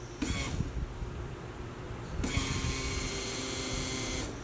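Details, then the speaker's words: LS-swapped Jaguar XJ-S, before first start, pump jumpered to prime and bleed the fuel system: high steady electric whine holds about two seconds then cuts off; fuel pump priming normally, fuel reaching the rail. "yep there it is [Music] yep there's the fuel you can hear it"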